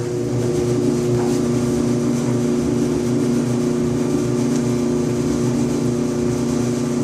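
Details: 5-year-old Electrolux EIED55H dryer makes a loud buzzing noise and vibration every 45 to 60 seconds: a loud, steady low buzz with a heavy hum. Caused by the blower assembly (134690800); replacing it fixed it, and the motor bracket was also replaced.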